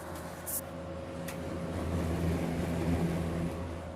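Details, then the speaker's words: Vintage GE WC2 mini box fan, probably early 1970s, started on low: steady low electrical hum with soft even air rush, no rubbing or ticking, typical of these GE fans; normal motor hum. "it's got a bit of a motor hum to it like all of my other ge box fans do"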